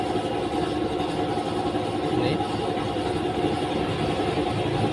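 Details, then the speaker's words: Honda Beat Pop scooter: steady even idle at 1500 rpm, 70 °C, smooth exhaust beat with no misses or knocks; running normally. "dan ini udah ketahuan sekarang ya Nah ini normal nih 1500 suhunya sudah ketemu 70 derajat tuh nah ini normal"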